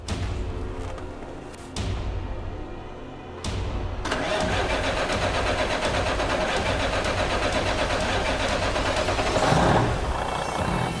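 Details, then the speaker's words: Western Star 4900 truck, first start after a new $50,000 replacement engine was installed: brief crank, catches at once and settles into a crisp, steady diesel idle with no knocks or misses; normal start and idle. "Started first time, and the engine just sounded perfect. Purred like a kitten."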